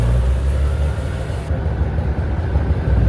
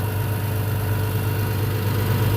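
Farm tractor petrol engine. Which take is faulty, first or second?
first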